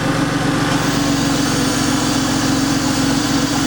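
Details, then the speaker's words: 2003 Porsche 911 996 Carrera 4S at idle with the oil filler cap released: a steady airy hiss showing abnormal crankcase vacuum. The failed air-oil separator is suspected; the car smokes from both exhausts and used 1 litre of oil in 230 miles. "the hissing. So that shows that the actual crankcase is there's a vacuum now."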